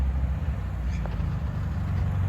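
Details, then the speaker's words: Restored 1973 VW Super Beetle flat-four driving up the street: low, even rumble swells as it approaches, no knocks, misses or rattles; running normally and sounds amazing. "Amazing. That's a happy guy right there. She sounds amazing."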